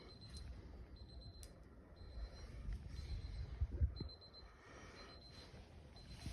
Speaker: hey so like I've been hearing this beeping noise I have no idea what that's coming from